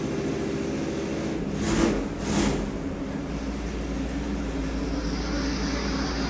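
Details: Freshly rebuilt Ford FE 390 big block for a 1967 F100, first fire on the dyno with Aces EFI. An even rumble with two quick rev blips that settle cleanly, no ticks or knocks: normal running.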